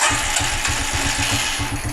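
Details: Carbureted G-Moto Cross X Pro moped after its petrol ran out: the starter churns the engine in even, quick pulses but it never catches, because the carburetor is dry. No start from fuel starvation.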